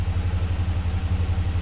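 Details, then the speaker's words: Truck engine still knocking at steady idle after reassembly, oxygen sensor cleaning and intake cleaning; quick even throbbing knock, source unknown, owner thought of fuel pressure but doubts it; runs better and warning signals cleared. "yeah but you hear the knocking yeah it's still knocking"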